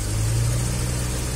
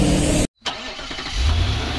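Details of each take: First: Suzuki Carry 1.0 three-cylinder that died suddenly on the road, with broken old spark plug wires found as the cause: steady, even low hum with no misses or stumbles; normal idle. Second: Suzuki Carry 1.0 that died suddenly while driving: the starter spins the engine at a steady rate for several seconds but it never catches; crank no start.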